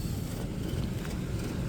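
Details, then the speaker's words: Toyota GX460 in low range, crawl control on high setting with foot on throttle: low rapid rumbling pulses as brakes grab and release the wheel, which cannot be stopped; brake LSD working, normal crawl control operation. "So first, this is just crawl control high setting with my foot on it, and you'll see it kick in. You can hear it. I'm unable to stop that tire."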